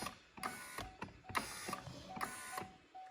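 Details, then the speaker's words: Driver-side window regulator on a C6 Corvette, ignition on, regulator tested out of the door after freeing a stuck slider: short whirring motor with light cable-drum clicking, moving freely without binding; normal operation. "Let's make sure both sides are actually working. Oh, one side. Okay, they're moving again."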